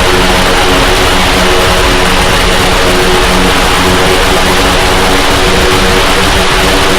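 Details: Heavy-lift drone, first flight test, batteries not fully charged: loud droning buzz with beating, wavering tones, sounding like an airplane rather than a drone. The props are not in step, with slight oscillations; the owner suspects PID tuning.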